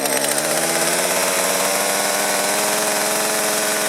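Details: Stihl chainsaw that was hard to start and bogged, warmed up after repair with the carburettor at factory settings: a steady, high two-stroke buzz at an even speed, with no surging or bogging, running cleanly.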